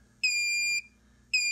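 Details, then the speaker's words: Xantrex Prosine 1800 inverter on a DIY six-module Nissan Leaf battery pack (about 25.2 V full): long, high, steady beeps about a second apart as input sags to 19.88 V and the inverter enters under-voltage shutdown. "when we get to 20 it should go into shutdown so let's see I'm gonna back it down a little more batteries are weighing down going right like the 20 1988 so just went into a shutdown"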